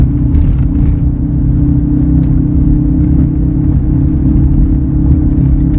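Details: 2003 Ford F-150 while driving: steady low hum at one pitch over the road rumble; humming noise clearly present, source not pinned down, could be a number of things.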